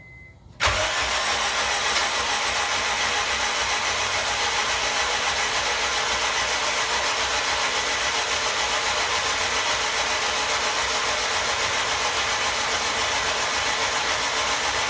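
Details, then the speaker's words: AWD Honda Civic EM2 with a new turbo and full exhaust, in neutral: spark plugs are out so the engine spins easier while cranking to prime oil. Fast, even whirring spin with a slightly hissy drone and no firing; normal cranking. "Well, here, let me take the spark plugs out, and so the motor will spin over easier, and then we'll prime this motor."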